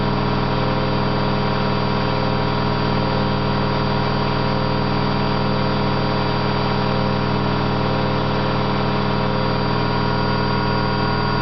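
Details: Candy GO4 127 DF washing machine in fast spin: loud constant droning rumble with steady hum from worn drum bearings, described as not very bad but loud.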